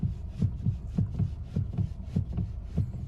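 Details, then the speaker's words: Stationary car with engine running, steering wheel rocked back and forth: dull, heavy knocks two to three per second from the steering rack itself, steering shaft joint solid; worn steering rack. "Так что, ребята, имейте в виду, если вы стоите на месте, а, и крутите руль вот так на заведённой машине и раздаётся вот такой глухой стук, то ваши рейки [ __ ] товарищи."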